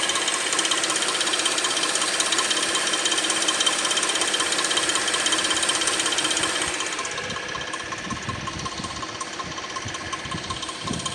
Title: Weird noise from 2006 Suzuki 2.7 V6 Engine